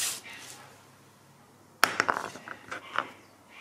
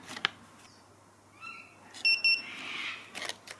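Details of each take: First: ViFLY Beacon lost-model alarm after being dropped from a height to simulate a crash: a short high beep about every three seconds over handling clatter, the crash pre-alarm; with no movement for 30 seconds the full alarm starts. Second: ViFLY Beacon lost-model alarm after being switched on by holding the button 2–5 seconds. It gives two short, sharp high-pitched beeps in quick succession, repeating continuously: the normal standby signal.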